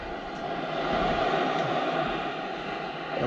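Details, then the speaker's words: Shop compressed-air system, cabinet checked with an AccuTrak VPE-GN ultrasonic leak detector at reduced sensitivity: steady loud rushing hiss with no rhythm, inaudible to the bare ear; a major compressed air leak. "we clearly have a major leak right here and I will stress that I cannot hear anything unless I have the the instrument on this is not an audible leak that I could detect just using my ears"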